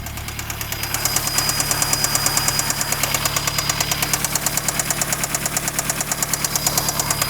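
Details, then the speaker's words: VW Jetta engine idling with sharp, even valvetrain ticking about three per second, a little tappy; it came in with lifter noise, and new lifters, a Techtonics 260 camshaft and an intake were fitted. "So, It's a little tappy"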